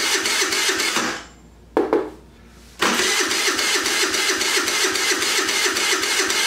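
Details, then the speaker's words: Jin Lun 50cc two-stroke scooter running on a car battery after carburetor cleaning, no throttle cable fitted; brief burst, pause, then catches and settles into a steady buzzing run about four beats per second, drawing fuel. "But it's sucking fuel down. All right. That's pretty good."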